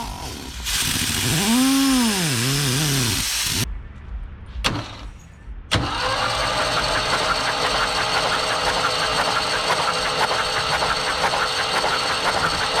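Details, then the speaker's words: 1974 Ford 3550 industrial tractor, engine freed from seizure with vinegar, cranking with spark plugs out after fixing loose battery terminal: steady, even starter crank, no binding; spins over smoothly. "Boy, that sounds a lot better, guys, huh?"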